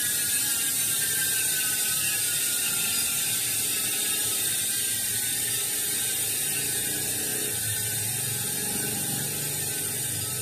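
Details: Industry Nine rear hub (12x148) on a Santa Cruz 29-inch mountain bike: fast, even high-pitched buzz holding steady while freewheeling; normal high-engagement freehub.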